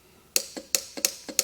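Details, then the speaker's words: Camper van Truma heater, no heat: gas valve electromagnets powered directly via their wires from the relay board; sharp crisp clicks, about four in a second and a half, as each solenoid pulls in; valves working normally, fault lies elsewhere. "voilà ça fonctionne on l'entend claquer en mettant on va tester le deuxième le rouge et le bleu vert il est là"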